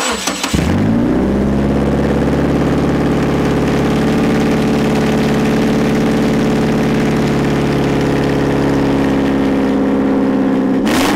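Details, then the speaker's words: Subaru FB20 with front pipe removed, exhaust open right after the header, mic underneath: engine catches after half a second, then steady booming idle far louder than stock. Very loud exhaust at idle with front pipe removed. "Holy crap. Holy crap. That's [ __ ] loud. All right, guys. That's it. If you want a really loud exhaust, just take out the rest of your exhaust."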